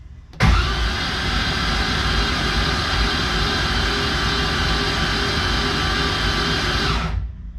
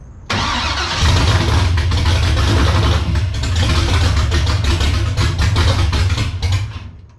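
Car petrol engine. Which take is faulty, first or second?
second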